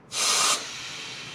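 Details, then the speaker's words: Mazda FC3S RX-7 intake system pressure test before dyno, intake off; sharp hiss then faint steady leak under pressure; hoped to be air through the throttle body, leak source unconfirmed. "and i'm hoping that noise is the air passing through the throttle body but if not we're going to find out where it's escaping from"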